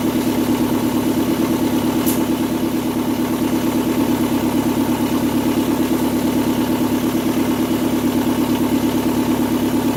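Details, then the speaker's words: 2002 Kia Sportage idling with the exhaust pipe not yet installed, after a valve cover gasket and spark plug job for a misfire complaint: loud raw idle with sharp even puffing tick about three times a second, multiple exhaust leaks. "And well, as you can hear, even with a hose hooked up, still wouldn't have mattered as many exhaust leaks as it got."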